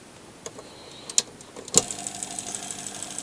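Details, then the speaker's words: Washing machine motor on a speed controller with a new Hall-sensor tachometer fitted: a few clicks, then a quiet, even hum with faint high whine and soft regular ticking at minimum speed; healthy. "Вот запустил движок. Крутится. Минимальные обороты у меня просто вот такие."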